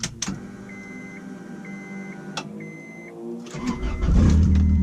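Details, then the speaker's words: Turbo Honda Accord with new Walbro fuel pump: steady, fairly loud electric whine at key-on under door chimes before start, still audible pumping at idle. "It is pretty loud. And even at idle, I can hear that thing pumping."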